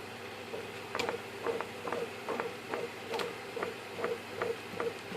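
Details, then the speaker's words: FMS Corsair v3 1430mm RC plane with new gold PAEP 540 motor, about 10 flights, no crashes: a faint light tick about twice a second at the same spot in each rotation over soft motor hum; mount reinforced, no play; causes wobble with prop on; cause unclear. "and you can hear it when it hits that spot as it goes around"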